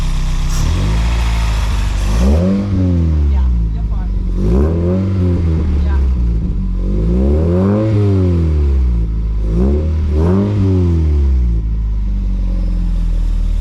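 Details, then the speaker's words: Toyota MR2 after driving through floods and a suspected flooded engine, spark plugs cleaned: five clean blips, revs rise and fall smoothly with no misfire, slightly deeper note, faint heat-shield rattle; no engine lights, engine seems fine. "We've just revved the car and seems to be all okay."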